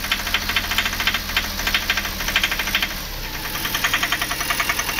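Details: VW Polo 1.2 diesel at idle: sharp, rapid metallic knocking about three to four per second over the idle; the mechanic suspects the number-one injector nozzle and plans to replace it, then open the head.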